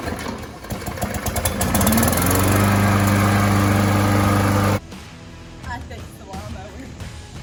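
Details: Briggs & Stratton E-Series push mower, after cleaning the carburetor jet from sitting since last season: it catches quickly and holds a steady, even single-cylinder beat with no misses or stumbles; normal start and idle.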